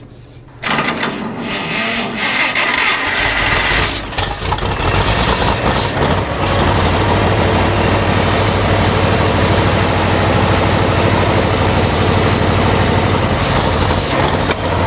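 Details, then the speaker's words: Abandoned Farmall 460 tractor, water found in the fuel at the carburetor: engine catches and chugs unevenly, ragged firing with no steady idle; sediment bowl and carburetor to be drained and flushed of water and debris. "oh that's water let's drain our sediment bowl then and drain our carburetor flush any water and crap out of there cuz it's acting like it's got plenty of fuel but it wants a ton to run"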